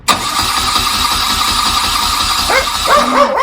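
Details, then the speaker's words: 1979 BMW R80/7 after replacing burnt-out starter motor, fresh oil: even rapid cranking, starter whirring steadily with no grinding; oil pressure light goes out, starter healthy. "there we go so we've got positive oil pressure now for the fresh oil that's fine circulated around the engine and it does actually sound very sweet"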